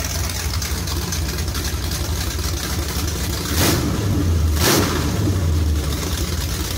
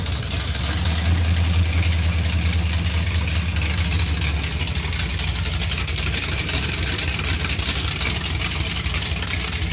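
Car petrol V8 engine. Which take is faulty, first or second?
first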